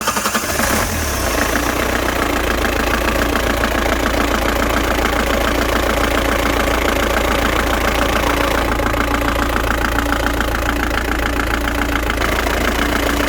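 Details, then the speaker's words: 1997 Ford Transit diesel, knock with the clutch engaged after a clutch replacement: rough, uneven knock of three or four beats a second at idle, felt as imbalance and vibration; judged not the release bearing, cause unconfirmed. "но это стопудово не выжимной потому что это не шелест это такое чувствуешь как знаешь дисбаланс и вибрация стук это точно не выжимной"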